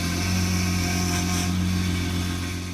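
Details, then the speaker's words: 2005 Honda Pilot idling after its power steering pipe was replaced and the fluid refilled: steady engine hum with a thin, constant whine from the pump; steering is lighter, but the fluid is low again and there is air in the system, still being bled. "The steering is definitely a lot lighter, but I can still hear the pump."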